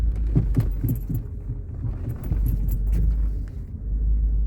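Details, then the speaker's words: 2004 Mercedes E500 4Matic wagon, 6-channel clamp-mic sensor: low road rumble with dull front knocks/clunks over speed bumps taken at an angle, loudest on channel 5, clamped at the sway bar; worn sway bar link ball joint. "Alright, so after some driving over speed bumps, channel 5 has by far the loudest knocking sound."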